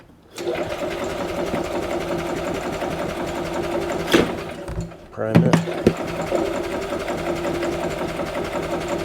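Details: Rebuilt Yamaha G29 golf cart engine, first start in neutral after final assembly: catches quickly and settles into a fast, even chatter with a few brief blips; rebuilt engine running.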